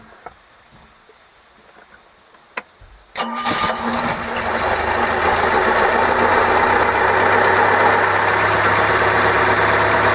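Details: OMC 140 after oil change, running in garage on garden-hose water, carb recently cleaned after sitting 18 years: quiet three seconds, then catches and settles into a steady, even idle with no knocks or misses; normal idle.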